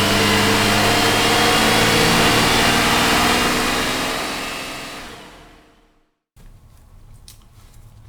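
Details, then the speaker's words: 2008 Cadillac CTS, GM 3.6L direct-injection V6, first start after timing chain replacement: uneven popping "popcorn" running that fades and dies, a rough run caused by a vacuum line left disconnected. "the culprit had a vacuum line off an engine was taken off man why does it sound like popcorn"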